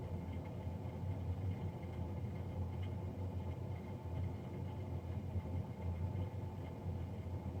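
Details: Navien NCB-240 boiler, serviced Jan 31 2020 and recorded Feb 3 2020: steady, loud droning hum with a low tone and a faint higher whine, no knocking, the fan running noisy, cause unclear.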